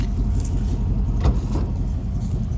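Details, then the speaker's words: Rusty old pickup truck, just bought, first start-up. Deep, loud, barely muffled rumbling idle; owner suspects the mufflers are off or the cats are cut, not yet checked underneath. A slight belt squeak follows. "um I haven't gotten underneath it to look but it's loud as so I'm assuming either the Mufflers are off or the cats are cut"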